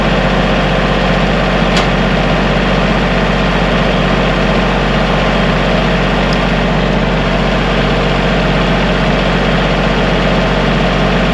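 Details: Kubota diesel tractor idling after a no-start was fixed: even, steady low chug with no misses, knocks or surging. An E93 code remains, left running to see if it clears.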